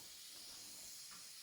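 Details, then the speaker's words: Combi-boiler central heating radiator, warm at the bottom and cold at the top: the bleed screw is turned anticlockwise and a steady quiet airy hiss of trapped air escapes until water comes out. "And that screw, just fit the screwdriver in there, turn it anti-clockwise, and you'll hear the air come out. Can you hear the air coming out? That's all the air coming out."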